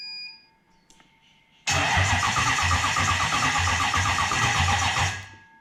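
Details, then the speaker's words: Engine with Link Extreme ECU, cranking to check trigger signals; starter churns about three seconds with a sluggish, uneven beat, ECU drops offline for lack of voltage: slow cranking from flat battery. "I need more voltage. My battery's getting flat. So you saw when I went to crank it, it went offline. Simply because I don't have enough voltage happening."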